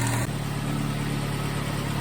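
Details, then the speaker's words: 2006 Ford Focus ZX4 at idle after idler pulley replacement: steady, even low idle with no rubbing or chirping from the belt side; normal idle, noise gone. "I don't hear that noise anymore so awesome I'm sure she appreciates that"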